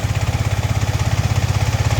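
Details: Yamaha MT-15 that stalled while running and would not start, after fitting an ST ignition coil: fast even single-cylinder thumping about eleven beats a second, idle near 2000 rpm, set too high and needing lowering; high idle speed.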